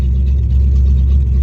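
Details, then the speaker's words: Ford Mustang GT V8 on open headers after 8.8 rear axle rebuild (disintegrated mini spool replaced): deep steady exhaust rumble, no clunk, whine or grinding from rear end; car moves forward and reverse, drivetrain sounds healthy again. "oh oh that sounds rough does it move oh my God it moves we got reverse we fixed it we fixed it"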